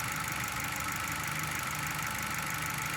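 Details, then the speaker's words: Engine with unstable idle and misfire: uneven, lumpy idle with irregular roughness about once a second; exhaust and vacuum pressure traces show an exhaust valve sealing poorly, unbalancing the cylinders; head removal needed. "aquí tenemos una válvula de escape que está sellando mal por eso es que deja escapar con presión y por eso tenemos una señal alta en este"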